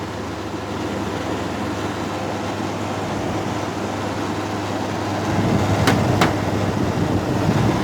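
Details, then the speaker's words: Brand-new LG bedroom air conditioner unit: constant low hum with a faint, loosely regular vibration buzz growing louder toward the end; owner suspects downstairs neighbours' banging damaged it, cause unconfirmed; later fixed. "Why is it doing that? It's making a little vibration noise."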